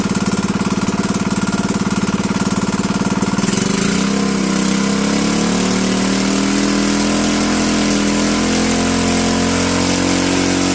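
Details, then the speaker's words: Predator 212 (GX200-type) single-cylinder engine running with its entire piston skirt cut off: fast harsh rattle, then revving with a loud mechanical knocking clatter; piston slap suspected, not confirmed. "I don't know if you can hear it in video but there's a knocking yeah you can hear it right about there or somewhere"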